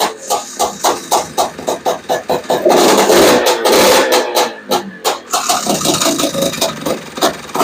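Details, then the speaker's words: Honda Odyssey FL350 single cylinder on choke with a new Lectron Billetron 38 mm long body carburetor, morning start: ragged uneven bursts, surging and sagging, unable to hold an idle; the metering rod needs adjusting. "idle like it won't even start foreign oh yeah I'm not I'm not even going to I'm not even letting that run for 10 minutes doesn't even sound good"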